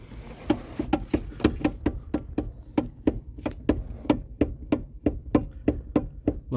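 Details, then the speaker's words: Kia Ceed steering with play that jumps while turning: sharp hollow clunks from the steering column about 1.5 per second, caused by a worn coupling/damper on the electric power steering motor. "tu mamy silnik ter się tam będziemy do niego dobierać silnik elektryczny od wspomagania kierownicy i tam się zużywa taka część to jest sprzęgiełko amortyzator od od tej pompy wspomagania"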